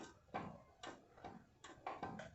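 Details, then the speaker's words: Toyota SW 1999: sharp metallic snaps from the front suspension under load as the upper control arm ball joint shifts because its lock is broken. "o que acontece pessoal quando ele estressa essa peça se desloca e claro dá um barulho bem forte tá"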